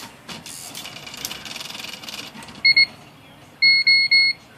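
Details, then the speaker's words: IBM Wheelwriter 10 typewriter at power-on, with corroded memory backup batteries: two quick beeps then three longer high beeps and flashing lights, the code for bad batteries, which only affect margin, tab and storage memory. "those beeps mean the batteries are bad so whenever it beeps and you get these flashing lights over here when you turn the machine on"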